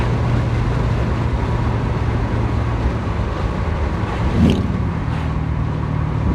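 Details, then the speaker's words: 1991 Porsche 944 S2 swapped to a Chevy 6.0 LS L77 V8 (450+ hp), retuned, in fifth gear at 50 mph and about 1500–1600 rpm with the windows open: a low, steady drone with no surging or knocking; normal low-rpm cruise. "there you go i love that fifth gear 50 miles an hour drops right down to like 15 1600 rpms and it just runs real nice there"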